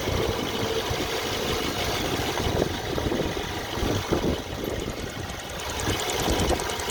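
Engine idling with an uneven light knock that comes and goes over the run; source of the knock not pinned down.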